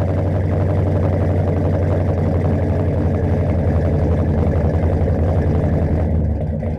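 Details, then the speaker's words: 1969 Mercury Monterey 390 V8 just revived after 16 years, idling on its own from tank fuel; low steady idle without surging or dying; runs but needs tune-up (plugs and wires). "oh she's idling on her own now too definitely needs a tune-up i'll put some plugs and wires in it"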